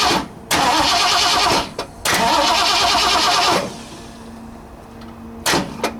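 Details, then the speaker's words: 1960 Ford F100, 351 Windsor, fed brake parts cleaner: two long bursts of steady starter whirring and a brief third crank, never firing, because the coil wire was not in the distributor; cranks but no spark. "Might help if I put the coil wire in the distributor."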